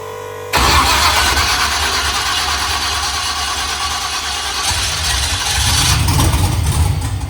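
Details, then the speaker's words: LS-swapped OBS Chevy truck, first start after three years, open headers: cranks and catches, then a loud, lumpy, stumbling idle, sounding like a tractor; cause unknown. "it sounds like a tractor"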